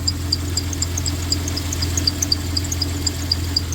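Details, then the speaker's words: 1993 Dodge Caravan at idle after head gasket repair: sharp chirps about four times a second over idle hum from the accessory belt; owner suspects the tensioner, belt riding oddly, before new belt, tensioner and idler. "You hear that? Who's squeaking? I think it's that tensioner. It's riding kind of funny on the tensioner."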